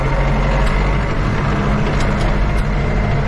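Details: Ford 7610 tractor just after dragging a sleigh: heavy diesel chugging at low revs with a loose metallic rattle riding over it; the owner says the front axle really needs sorting.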